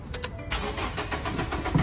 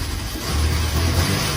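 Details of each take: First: Very old used car being started: steady starter churn about four beats a second for five seconds, never catching; cranks freely but won't fire; crank no-start from clogged EGR valve. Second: start smoothly very perfect look at the front the fault has completely disappeared come and see the power of the engine is also very strong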